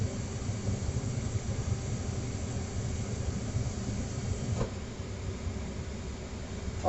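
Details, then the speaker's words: Trane XR80 gas furnace: a steady low electrical hum with a faint tone and no moving air; the blower motor is stalled and won't spin while the rest of the unit runs, and the unit then shuts down. "that noise is almost a dead giveaway it's it's a fan trying to start up I'm not having any luck um everything else is running"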